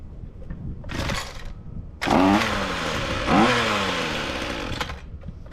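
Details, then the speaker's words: Ryobi two-stroke string trimmer that didn't run, after repair: catches after a couple of pulls, then revs up and runs smoothly and evenly with a clean buzz; starts easy, runs good, gearbox still locked. "w all right so that sounds pretty good uh starts starts easy and seems to be running good"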